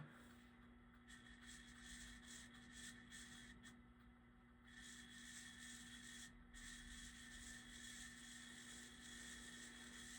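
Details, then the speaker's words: Newly installed bedroom ceiling fan motor run before blades attached: faint steady low hum with light hiss, source unclear; owner thinks the noise will go away with use. "it's making that noise but I think that'll go away with some use"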